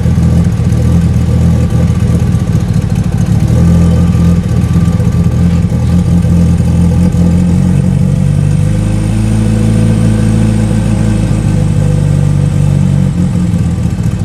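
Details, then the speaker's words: Mitsubishi Evo 8 at first start after engine rebuild following a damaged piston and cylinder wall, running on water instead of coolant: steady, even low rumble at idle with no knocks or misses, sounding healthy; no leaks after 15 minutes. "honestly she's actually running really good right now at Ido at least though but damn she sounds healthy again I am pumped guys"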